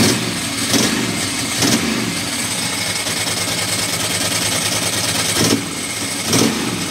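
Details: Ducati Monster M900 ie, very loud: uneven idle with throttle blips and an occasional stumbling beat from an intermittent misfire that seems to occur when cold or wet; the owner suspects the headlight wiring loom.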